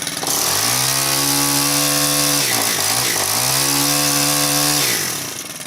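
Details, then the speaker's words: Stihl KM130 4-mix engine after valve adjustment, restarted warm with a pole saw attachment: held at high revs with a steady buzzing note and a brief dip; high-speed running sounds off, needs tuning. "That sounds like it needs tuning though. See if I can tune that out of it. Sometimes you can, sometimes you can't."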